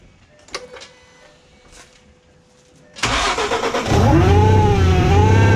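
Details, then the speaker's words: Ford Mustang 3.7 V6 with newly installed supercharger kit and front-mount intercooler, first starts: cranking, then catch and a clear rising, wavering supercharger whine over steady idle; earlier start screamed, suspected vacuum issue; sounds normal. "All right. It doesn't sound bad right there. No, it doesn't."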